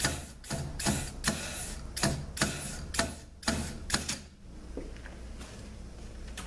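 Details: 6L50 transmission rebuild, air check of the 1-2-3-4 clutch pack with reused OE rings: short sharp air blasts with quick silence between and almost no lingering hiss; clutch pack applies tightly with very little leakage.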